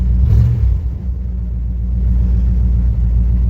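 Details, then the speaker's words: 1976 Chevelle Malibu after new transmission install, cold start with exhaust cut off except the catalytic converter, heavily pumped: deep, steady, even lumpy rumble; cold V8 idles smoothly and sounds healthy. "I cut off the exhaust other than the catalytic converter sounds pretty good"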